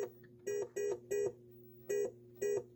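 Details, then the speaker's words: Williams Funhouse pinball in switch test: moving a wire behind the speaker panel makes switch 51, a dummy opto, register, heard as irregular short flat beeps, about six in three seconds; intermittent wiring suspected, not confirmed. "wiggling this wire is making stuff happen so that might be an indication right there"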